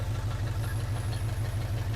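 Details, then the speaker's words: 1980 Chevrolet C10 Cheyenne square body V8 at first start, with a loud exhaust: deep, even lopey burble with no skips or knocking, all eight cylinders firing; checking for oil reaching the rockers; normal idle. "nothing seems to come out right now but the engine sounds like it's not knocking or anything"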